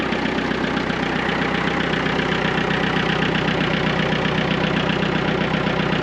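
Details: Massey Ferguson MF-255 diesel tractor that had not been starting, now running after troubleshooting; battery read 12.72 V; steady diesel clatter at constant idle, even and regular with no stumbles; normal idle.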